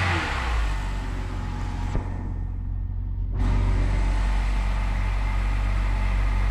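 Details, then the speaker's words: BMW E70 X5 3.0i with N52K inline-six idles with a steady rumble and a constant thin high whine. An alternator bearing is suspected, alternatively power steering, and the drive belt will be removed to diagnose. "so on this car i'm noticing there is some noise that sounds like the alternator uh may be having some bearing issues"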